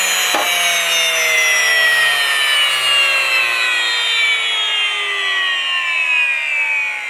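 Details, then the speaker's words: New Wondermill electric grain mill, first use after grinding two cups of grain: high thin squeal drifting slowly lower with no grinding crunch; normal free-spinning once the hopper is empty, the cue to switch the mill off. "they say you'll know when the the grain is finished grinding when you hear that high pitched squeal so it obviously the hopper is then empty and you want to turn off the mill"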